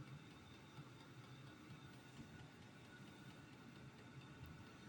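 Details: Amazon-bought diesel heater running on kerosene, first fire-up of the season while burning dust off: steady, even burner roar over a smooth fan whirr, no pulsing or sputter; the heater is firing and running normally.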